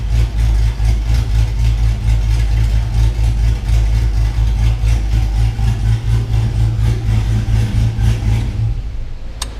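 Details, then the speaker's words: 6.0 V8 swapped truck with BTR Truck Norris cam, after the failed lifter was fixed: lumpy, loping big-cam idle with no ticking; the engine runs healthy. "my my problem was not valve train noise it was actually a lifter so we got that all fixed and the truck's doing great now"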